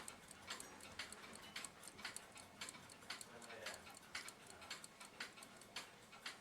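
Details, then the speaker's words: c1921 Friedrich Mauthe Schwenningen musical carriage alarm clock: quiet uneven tick-tock near one per second, out of beat. Balance keeps stopping during repair of bent pallet, pallet pin, fork and hairspring. "I can hear it tick it's not an even tick so I'm still not in the where I need to be on that"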